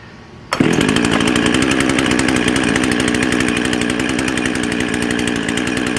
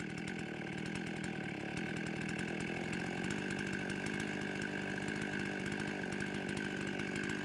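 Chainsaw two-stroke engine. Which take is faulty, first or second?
first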